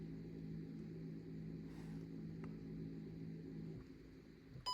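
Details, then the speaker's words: Volkswagen electronic parking brake opened via a Kingbolen K7 diagnostic tool for brake pad replacement: faint steady motor hum for about four seconds, then a clean stop and a chime; rear calipers release normally. "And I hope you heard that they are now open. And now uh we can uh close the rear back uh back calipers."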